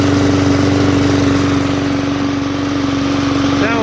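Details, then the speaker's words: Cheap aluminum-deck MTD push mower with a Briggs classic flathead, no engine brake and a kill switch wired into the throttle: a steady, even chug at constant speed with a clean tone and no misses or knocks. It runs like a good mower. "like a good mower though"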